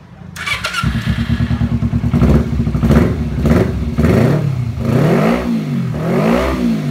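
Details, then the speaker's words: Kawasaki Ninja 250 before carburetor service, complaints of heavy fuel use and sluggish, delayed throttle: engine fires up, then revs climb lazily and sag in uneven waves instead of crisp blips; carbs out of balance. "dari suara kawan-kawan juga bisa dengarkan sangat terdengar dari Irama putaran mesin pada putaran mesin itu sedikit delay dan kemudian tidak enak banget pokoknya"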